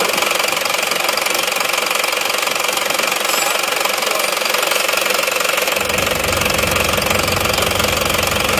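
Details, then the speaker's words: Isuzu Panther LS diesel after fourth rebuild in 7 months, idling on oversized RH13 injection pump rotor head: hard, rapid metallic knock about four per second, harsh note, racing-like exhaust smoke; standard rotor head to be compared. "ini hidupnya mesinnya masih pakai rh13 suaranya seperti ini nanti akan kita bandingkan dengan yang bospom yang standarnya ya"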